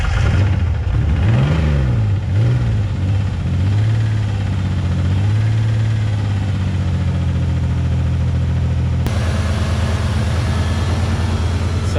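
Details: 1999 Ford Ranger just started after long storage, smelling of old gas: revs surge and sag unevenly for a few seconds before settling to a steady idle. Rough running; owner suspects it needs Seafoam, cause unconfirmed.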